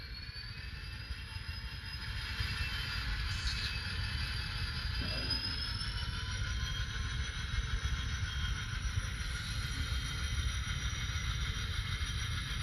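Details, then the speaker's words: KATO model locomotive running through KATO turnouts after No-Ox ID A Special was applied; it previously had trouble there. A small motor hums evenly with soft wheel clicks and no stalls or stutters, smooth as butter. "That engine is going through just as smooth as butter."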